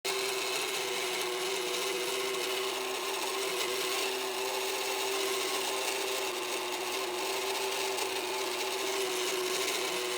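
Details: Magicfly incubator's synchronous turner motor giving a steady rough rasping grind with whining edge, running continuously; loud noise suggests a failing gear motor.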